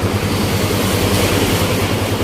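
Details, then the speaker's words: Yamaha Exciter 150 (last model) after engine repair, with the loose crank-side bearing replaced, clutch redone, and oil and filter changed: a quick, regular, quiet idle with no tapping or rattle, running smoothly. "ตอนนี้ก็เสร็จแล้วครับนี่ติดเครื่องนะครับเงียบกริบนะครับ"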